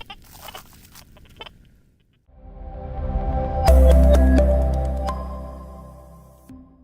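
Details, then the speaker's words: XP Deus II metal detector used under power lines: irregular squeaky pips and warbling tones with no target present, the detector lively and chatty from electromagnetic interference (EMI). "Yeah, the machine's been really quite lively, loads of pips and squeaks, and it's been quite chatty"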